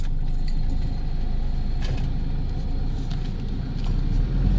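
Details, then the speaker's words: Toyota Hilux 2KD diesel that wouldn't start, computer box suspected, after troubleshooting and repair, revved to about 4,000 RPM: steady deep rumble swelling with revs, no knocks or rattles; healthy, ready for road test. "So saglit na siyang paandarin yun aabot na siya ng 4,000 RPM"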